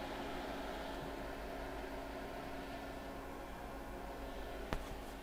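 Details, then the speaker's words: Off-grid battery inverter, repaired after wires overheated and a fuse blew, powering an enamel kiln on old, worn batteries: a steady low hum with an even fan-like hiss, no surging or crackling, and the wires stay cool. Normal operation under load. "now when this kiln turns on we should hear the inverter start running and it's running wires are still cool"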